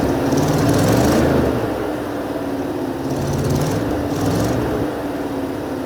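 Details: 1980 Mercedes 450SL V8, first start after a new fuel pump and long storage, no leaks: catches and settles into a rough, slightly lumpy idle, swelling and sagging every few seconds; fuelling still unsettled, uneven idle.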